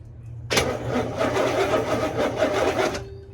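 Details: 1969 Buick Skylark, off the road since about 1985 and once flooded with water in the motor, coil power present: about two and a half seconds of steady, rhythmic starter cranking, but the engine never catches.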